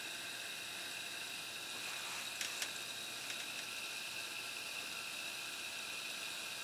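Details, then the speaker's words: Harman Kardon CD 191 cassette deck after transport mechanism repair: smooth, even whir with steady high tone, no dragging or slipping; good rewind torque. "sounds like a good rewind torque so so i think we're good let's put it back together"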